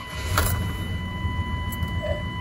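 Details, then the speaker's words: 1998 Chevy Silverado 350 Vortec V8, about 300,038 miles, after replacing a worn, corroded distributor cap and rotor that caused a crank-no-start. Smooth, even rumble under a dash chime, no stumble or misfire; normal start. "that's everything it cranks up just fine uh here i'll crank it up one more time mainly because i like the way it sounds when it cranks up"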